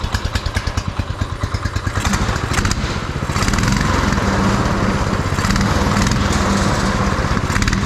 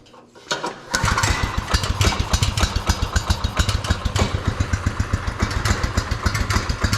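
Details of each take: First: Beater go-kart's small single-cylinder engine on a swapped carburetor, first run with fuel tank not yet bolted in: deep thump at a slow, slightly uneven beat; runs fine and sounds all right, but idle is set a little low. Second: Marketplace beater go-kart, small single-cylinder engine on a swapped carburetor, first start choked with no adjustments made yet and fuel tank not bled: catches after a few pulls, settles into a quick, slightly uneven putter; starts and runs fine.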